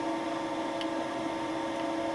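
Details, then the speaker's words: Light boring cut with a Wohlhaupter UPA5 head at fixed diameter on a Thiel Duplex 158 mill, quill auto feed 0.12 mm/rev, enlarging a lawn mower's molten plastic bearing seat; quiet steady hum with a faint tone, no chatter or squeal: normal boring cut. "the head was set to a fixed diameter and the tool advanced with the auto feed of the quill (0.12 mm/rev 5 thou/rev) I took very light cuts"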